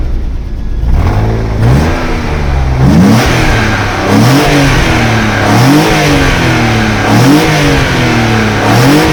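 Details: BMW M50B30 stroker started after months unused: revs rise and fall unevenly, rough and lumpy low down, exhaust banging the underbody; cat glowed red, found blocked and broken apart; blocked catalytic converter.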